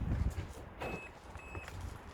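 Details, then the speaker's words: 1996 Subaru Forester S/TB, after connecting the battery: two short high chirps about half a second apart and no siren; the alarm disarms normally. "It works. Yes! The alarm didn't go off."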